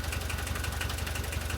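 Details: VW T3 diesel running again after many years, following cleaning and refitting of injection pump parts (lines, distributors, solenoid, throttle linkage); adjustments still needed. Steady diesel clatter at idle, even low throb, no misses: normal diesel idle.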